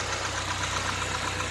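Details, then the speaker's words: Ford Escort Zetec petrol engine after repair for no idle, misfiring and stalling. Idles steadily with no stalling, just slight unevenness in the beat, limited by airflow; runs well; normal idle. "mas tá aí ó funcionamento bom regular né Só não tá melhor por causa do fluxo de ar mas de resto show de bola"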